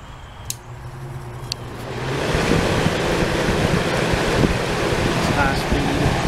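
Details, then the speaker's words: 1989 Crest (Fedders) 5000 BTU Carry Cool, first fan motor test after cleaning and a few drops of oil: after a couple of seconds the airflow rises to a steady, even whoosh with no grinding or rattle; fan motor runs normally. "here's the first test of the fan motor since cleaning and oiling"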